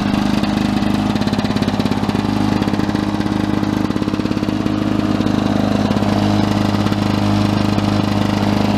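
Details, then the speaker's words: 1982 Lawn-Boy 5126 mower, OMC F-380 two-stroke engine, first start of 2017 outdoors at about 17°C in wind: crisp, even, steady buzz with no misses or knocks. Nothing wrong, running normally. "nice love got to miss that sound"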